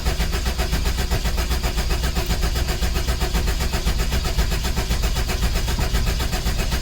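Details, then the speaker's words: 1984-89 Toyota Van Wagon after fuel pump replacement, cold start injector possibly still unplugged; the starter churns steadily with even compression pulses but never fires. Cranks, no start; a cut plug connector was found. "you may not want to start or idle because i think that idle or the uh cold start injector is still unplugged"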